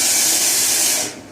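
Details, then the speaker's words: DIY vapour blaster wiper spray solenoid valve on a test run: a hard, even hiss of spray for about a second, then a clean cutoff. Good jet and strong flow, and the solenoid is very positive and clearly heard switching. "So yeah, nice good jet out of it. I don't know if you heard, but it's a very positive solenoid. You definitely hear it come on."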